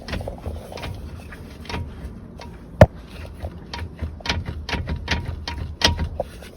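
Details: McPherson front suspension: irregular dull knocks and thuds, a few per second at times, from the front end. Front suspension knock, cause not identified.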